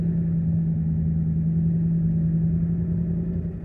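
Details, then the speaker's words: 2012 Dodge Ram with 5.7 HEMI, about 39,000 miles, idling with a deep, lumpy rumble and uneven beat about three times a second; scanner shows misfire on cylinder 3, engine shakes; cylinder misfire. "saben que si tenemos código de mis países en el 3 hoy también temblor opuesto también es borroso"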